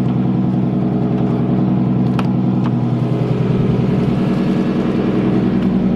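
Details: Nissan S13 engine at start-up, intake air temp reading 20°C: firm, even idle with a steady low throb, no misses, ticks or hiss. Vacuum seems good, it is warm enough, and it is running healthy.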